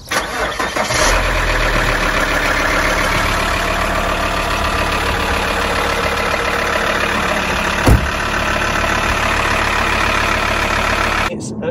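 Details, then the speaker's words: 2010 Alfa Romeo 159 Sportwagon diesel, nearly 100,000 miles, refurbished cylinder head, swirl flaps and EGR deleted: cold start cranks, catches and settles into loud steady diesel clatter, no misses or knocks; noisy but normal. "This car, when you start it up, it's really noisy. Like, I know it's a diesel and everything else, but it's really noisy."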